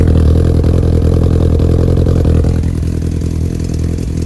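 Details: 2002 Yamaha R1 at idle: busy inline-four idle with a light metallic clatter ticking at engine speed, traced to the EXUP exhaust valve.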